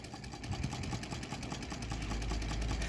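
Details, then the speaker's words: Improved solar-powered Stirling engine heated by a parabolic dish: light, even ticking about three beats per second with no knock, quieter than before the improvements, though the engine seems to wobble a lot. Normal running. "Acho que valeu a pena o barulho até o motor está mais silencioso gostei"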